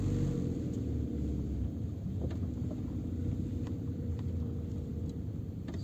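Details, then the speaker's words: Peugeot 407 with the phone on the rear parcel shelf, rolling in first gear after the fix: the rear seat backrest latch loop was wrapped with electrical tape. Steady low road rumble, no knocks or rattles from behind, quiet cabin. "катимся на первой передаче тишина"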